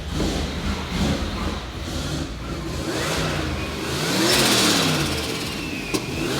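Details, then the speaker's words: HX Holden one-tonner ute with Toyota 4.0L 1UZ-FE V8, Garrett GT4088 turbo and Haltech Sprint 500, about 400 hp, built nearly 20 years ago; revved on request, climbs and falls cleanly with a rising turbo whistle; healthy turbo engine revving. "can you give it a REV so I can hear that turbo noise"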